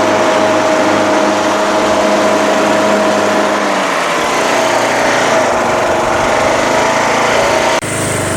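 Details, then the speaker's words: Craftsman LTS1500 lawn tractor with rebuilt 17.5 HP Briggs OHV single-cylinder made from two blown engines, on a test drive: pulls steadily at a fast even beat, no misses or knocks; runs very well, though idle is very high and the throttle is sticky. "runs very well three stop let's do an adjustment it's idling very high"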